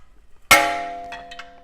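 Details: Metallic clang, then lighter ticks, from the front brake as the wheel hub is spun with the wheel off; a piece of metal sits behind the brake rotor. The owner wondered whether a rock had fallen in; the brake also screeched.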